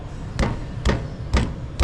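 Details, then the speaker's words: 2013 BMW 320d: four dull, hollow knocks from the driver side front as the wheel is rocked by hand or the steering rack end is wobbled. Diagnosed as steering rack end knock, repairable without replacing the rack. "and give it a tap like that and you can hear it and also if you grab it in the steering rack end and give it a wobble you can hear it Knocking as well"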